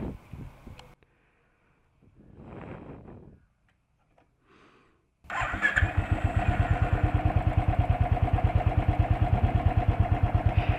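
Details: 2013 Royal Enfield Thunderbird 350 single, electric start: after a few quiet seconds it starts and settles into a slow, even thump of about three beats a second. Normal big-single idle, a character the rider was told is normal.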